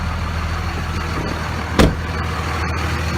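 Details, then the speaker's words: Idle of a 2001 Dodge Ram 2500 Cummins 24v diesel after replacing the failed VP44 injection pump (injectors were fine): smooth, steady low rumble with no misses or hunting, much smoother than before. Normal idle. "much smoother running whoa look better than it previously did"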